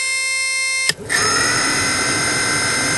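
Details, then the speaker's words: 2010 Ford Transit van blower motor on highest setting, powered directly with power probe: steady high-pitched electrical buzz, click and rough hum without spinning properly; internal fault, water dripping nearby, water inside suspected. "you can hear that buzzing noise from the motor that's not a normal sound that's actually something wrong inside there"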